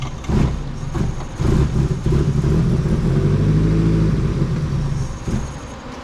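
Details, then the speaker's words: Nissan S13 drift car with SR20DET, just started after sitting all winter, jump-started from a small Miata battery: engine stumbles and surges unevenly, revs hunting instead of settling; rough running blamed on the MAF. "Running a little rough, so we're gonna try and throw another MAF on it, which means we might have to pull the MAF off of Fran's car."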